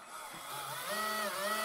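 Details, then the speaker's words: RC4WD Zetros 6x6 RC truck shifted into top gear, one servo controlling both diff locks and gearshift: thin electric whine climbing and settling with no drivetrain load, motor spinning free because the shift cable doesn't fully pull the pin, so the gearbox isn't engaging. "you can hear the motor is spinning but nothing else all right so this is where the problem is when you put it into top gear that cable is not going all out to pull the pin right out"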